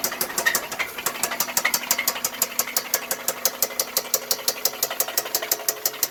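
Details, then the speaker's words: 2000 Toyota Camry that won't exceed 20 mph and smells like something burning, maybe oil or belt. Quiet otherwise, but on acceleration a sharp, steady metallic ticking knock about three times a second; engine knocking. "now it's not making noise but when I accelerate it starts making the noise"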